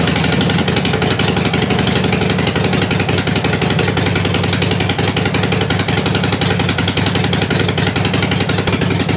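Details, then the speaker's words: Harley-Davidson Sportster after 1900 miles in four days, warming up before gasket change: sharp rapid ticking and chuffing over lumpy V-twin idle, about three per second, "like a bag of spanners"; exhaust leak at leaking front exhaust gasket. "i did have one small problem with the front exhaust gasket which i'm gonna be changing today because i had a slight leak on it and the bike now sounds like a bag of spanners"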